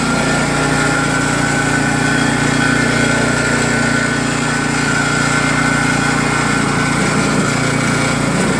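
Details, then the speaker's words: New Craftsman snowblower PowerMore small engine after cleaning gummed carburetor jets, fuel line and tank; steady even drone at constant speed, no misses, surging or hunting, running cleanly after repair. "Alright, that was it. Looks like it worked great now. Full throttle, just pull it."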